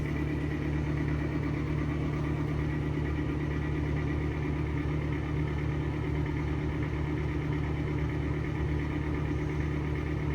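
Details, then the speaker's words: Exhaust fan with bad bearings makes a continuous deep rough rumble with no squeak, so no sign yet that it has run out of oil; it was last oiled with 3-in-1. "Interestingly enough, it hasn't started squeaking. It's not really indicating that it ran out of oil yet. You're just making a lot of noise because they're probably bad bearings."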